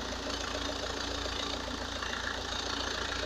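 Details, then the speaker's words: Opel Astra H 1.7 CDTI diesel at warm idle after turbocharger replacement and reconnecting intercooler hoses, before test drive; steady, even clatter with no whistle or knock, engine working fine with no noises — normal idle. "I have connected the hoses, so now I can start the engine again, let it to warm up. The engine is working fine, we don't have any noises."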